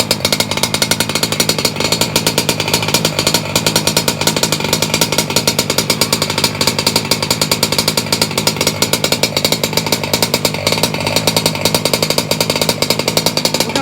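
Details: Two-stroke engine set fat with the idle brought up: a fast, even two-stroke buzz with a soft, burbly edge, running rich but well.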